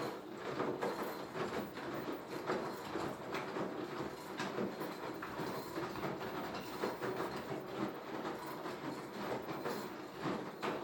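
A washer-dryer clatters and clacks about once a second, a loose rhythmic knocking that repeats throughout the run.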